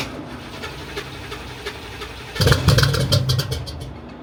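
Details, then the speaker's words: Widebody C4 Corvette, cylinders 5 and 6 exhaust valves found stuck open, after new connectors fitted: cranks, runs and revs only with throttle held, sags and dies when pedal released, won't idle; cause unknown. "So it'll start while I hammer the gas, or keep the gas on, or the throttle on, sorry. And it'll rev, it'll go. As soon as I start coming down, it'll be okay. Then it dies."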